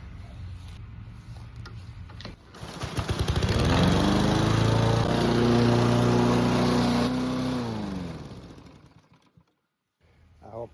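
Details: Husqvarna HU700H lawn mower after replacing drive belt, rear ball bearing and idler pulley: pull start, engine picks up to smooth even beat about four per second and holds before shutting off cleanly; normal running.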